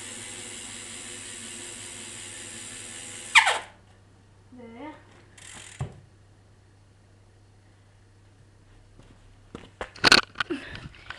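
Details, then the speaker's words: Haro F3 2010 bike with squeaky brake pads, wheel coasting. Fast, even, loud ratcheting buzz from the freewheeling cassette hub, then it cuts off; normal, healthy hub sound. "and now you can hear my cassette sound which is pretty loud"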